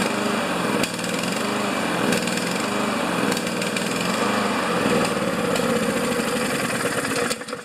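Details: Honda GCV engine on Craftsman MTD mower, just started with semi-automatic choke after tune-up, replacing a carbon-crusted E3 plug: single-cylinder beat surges and stumbles instead of holding steady; carburettor to be checked, cause unconfirmed.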